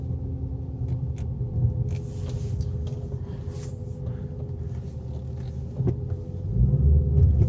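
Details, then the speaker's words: Infiniti M56 V8 with factory sport muffler, after about 20 minutes driving, idling into park, in cabin: low droning hum around 1000 rpm, steady with slight pulse; buzz still present, cause suspected not confirmed. "still got a little bit of a buzz 1000 rpm kind of buzz going on so if you cranked up your music loud enough it really wouldn't bother you"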